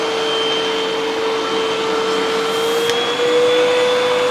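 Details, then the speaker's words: Hoover UH7103 upright vacuum running after the dirty filters were cleaned and refitted: strained, high steady whine with a pitch step instead of a free airy rush, indicating another clog restricting airflow further down. "Okay. All right, so we have another clog. It shouldn't be making that noise. There's some restriction down in there, so there's probably more stuff in there."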